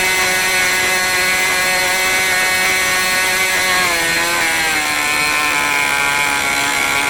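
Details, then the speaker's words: New OS 40 FSR model engine, second tank, not fully broken in: a high, steady whine settles lower as it throttles back but still idles fast and a bit blubbery, about 3500 rpm versus about 2700. The low-end needle is way too rich. "even with those unset conditions of low speed it was still around 3500 rpm which it should idle down or 2700 rpm or so went via the low-end mixture was way too rich still and the engine isn't fully broken in"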